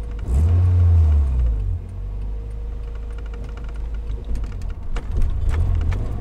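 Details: Toyota AE86 4A-GE after spirited driving, with throttle feathering: deep engine rumble with sharp light ticks mostly near the end, plus diff whine; engine ticking, owner suspects exhaust manifold/extractor leak, unconfirmed.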